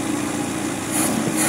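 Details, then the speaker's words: Engine after tappet (valve clearance) adjustment that cured earlier ticking: light, even rev with a smooth steady drone and no top-end ticking; normal running. "Betul ke dia dah elok? Tuan-tuan dengar sini. Ada lagi tak bunyi tepek tadi?"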